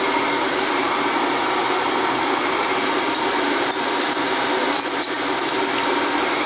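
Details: NTI boiler with Riello oil burner that would not fire, with a carbon-fouled head: steady even roar from fan and flame, no puffing, rumbling or cutting out; burner lit and firing normally.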